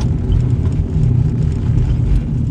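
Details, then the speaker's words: Nissan Sentra in for two front wheel bearings diagnosed 4–5 months earlier, driven at about 15 mph, heard from inside: loud, deep, steady droning roar with no ticking; badly worn front wheel bearings. "I'm doing, what is it, 15 miles per hour? And this thing is loud. I can't imagine what it's like driving like on the expressway or normal speeds. Wow, these things are bad."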